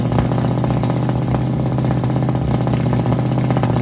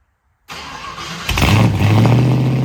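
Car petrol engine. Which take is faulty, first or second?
first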